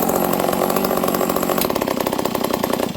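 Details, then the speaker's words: Stihl 038 Magnum chainsaw with bar and chain, chain brake on; loud, rough buzzing idle that never drops off as the clutch keeps spinning and dragging, likely a broken clutch spring: clutch dragging with chain brake on. "When you put a bar and chain on this, it's hard to pull over because the clutch is basically engaged almost all the time while the saw is running. Ready? See? You put the chain brake on, the clutch is spinning."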